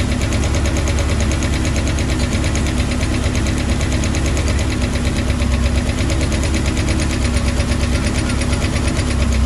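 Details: 1996 Bayliner Capri 2050 SS with 305 Chevy V8, cold start: rapid light ticking, about three a second, over a lumpy idle; loose rocker arms with lots of slack, idle smoother after adjusting.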